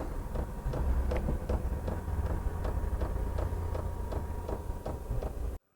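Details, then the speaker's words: Cheap diesel heater during startup on Jackery power, fan winding up: light evenly spaced ticks, about two or three a second, from the dosing pump over a low fan hum; normal fuel pump ticking. "so that tapping sound is one of the complaints for obviously that they're they're cheaply made"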